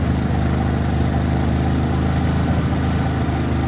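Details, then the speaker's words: Harbor Freight Predator 3500W inverter generator, new, cold start at 6°F during a power outage, running quiet after switching from choke to normal: steady, even low drone with no misses or hunting, healthy smooth idle. "that was a cold start at six switch from the choke to normal see it's"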